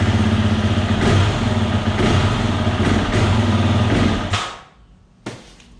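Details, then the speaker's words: 2020 Husqvarna FE 350 with 40 hours, before fuel filter replacement: rough, pulsing run that fades and stalls about four seconds after the throttle is opened fully from idle; bogs and stalls, owner suspects the in-tank fuel filter. "this is what it does when you open up the troller fully it just shuts down or it doesn't accelerate if you're on the street anything like that"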